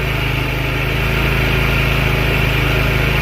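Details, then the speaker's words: Scooter with a newly installed carburetor, over 6,000 miles, running on the enricher: an uneven, lumpy idle pulsing about four times per second. It dies with throttle or when the enricher goes off; the owner suspects bad gas and needed valve work, as the valves were likely never adjusted. "I'm going to let it run for a minute but I think the gas is probably bad and it needs a valve job but it is running you guys can hear that it's physically"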